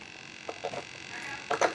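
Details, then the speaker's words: E-flite P-51D Mustang 1.2m RC plane with AS3X: faint steady high-pitched hum with brief whirring bursts from a servo humming at mid-throw, which trimming likely cannot fix. "that Servo is still humming as you can hear so just kind of dealing with that I guess a little bit of an aggravation but I'll live I suppose"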